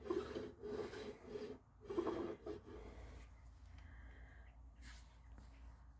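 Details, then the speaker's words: Honda HF2213 ride-on mower cutting deck, damaged after hitting a tree branch, turned by hand during repair. Slow, quiet scraping swishes with each turn are just the belt rubbing. "I think that's the only damage everything else you can hear that one it's just a belt rubbing"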